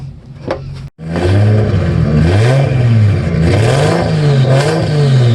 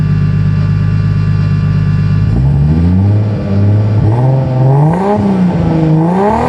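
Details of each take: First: Toyota MX83 Cressida 1G-GTE turbo drift car, 3-inch stainless pipe turbo-back to before diff, no muffler, start-up and revs: booming raspy roar rising with throttle blips; too loud, needs muffler. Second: Toyota Cressida MX83 drift car with a 1GGTE turbo engine, after installing a new 4-inch stainless perforated-tube muffler. A deep idle, then revs climb and drop several times with a smooth, full exhaust note and no rattles. The exhaust sounds healthy.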